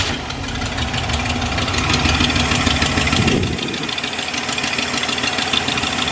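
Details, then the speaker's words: Camper just after exhaust manifold job: steady fairly even idle with soft low rumble, no puffing or ticking, no audible exhaust leak; smoke suspected from fresh paint burning off, seen at the collector. "i mean it's quiet now i feel like there's not an exhaust leak"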